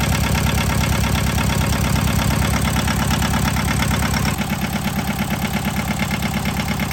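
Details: John Deere 650 two-cylinder diesel tractor after head gasket replacement: slow even chug about two beats a second, dipping slightly partway, steady with no knocking; healthy idle, owner says it sounds really good.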